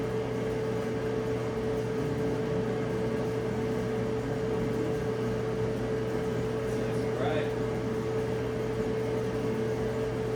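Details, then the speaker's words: Electric dryer after full teardown and lint cleaning, timer advancing during a cycling thermostat test: smooth even hum with steady tone and plenty of airflow, no restrictions, no thumping or scraping; sounds perfect, normal running. "Does it sound good? It sounds great, it sounds perfect. Plenty of airflow, obviously there's no restrictions because we cleaned it all out."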